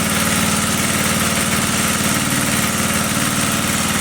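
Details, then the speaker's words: 1980 power tiller with a Briggs and Stratton engine, running without carburetor cleaning: steady, even single-cylinder thump at idle with no misses or knocks; idles healthy. "okay huh well it sounds like it's running just fine"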